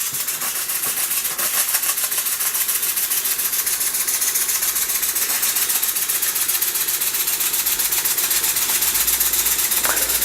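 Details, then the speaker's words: Empire 92 model steam engine, running on steam after its open-circuit heating element was repaired; boiler possibly slightly overfilled. Crisp, even chuffing about four beats per second with a steady rhythm: normal running. "I think I might have overfilled the boiler slightly too much. But it's definitely running."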